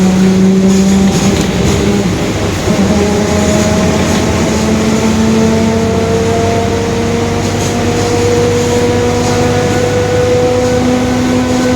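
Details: 2021 Marcopolo Torino S bus on a Mercedes-Benz OF-1721 Bluetec 5 chassis, recorded onboard: gear-like tones climb and fall with road speed over the diesel drone, a growling rear differential.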